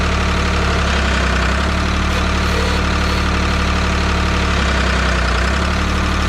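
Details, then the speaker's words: 1985 Ford 545A backhoe, 3-cylinder Ford diesel, cold start after rebuilt injector pump installed: steady, even idle clatter, deep smooth beat, no misses or knocks; runs good but hydraulics very slow; normal idle. "Well, she's running good, but that hydraulic pump is really slow."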